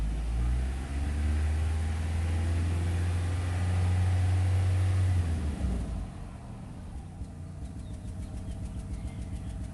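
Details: 2008 Nissan Rogue with code P0300 and check engine light: heavy rumble dies back to unsteady idle with a light quick rattle; rough idle, worse at low gear, possible misfire, cause unknown.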